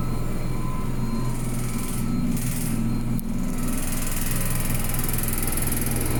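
Loud, steady low rumble with a droning hum throughout; the washer runs far too noisily, cause not yet clear.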